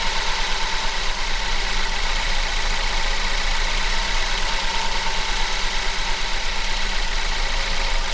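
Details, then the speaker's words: 2012 Ford Focus first start after transmission rebuild: uneven, shaky idle with RPM going up and down; throttle body connector not plugged in properly, running smoother once reconnected. "Alright, so it's running a little rough, very rough, but I'm going to turn you guys off and kind of figure this out."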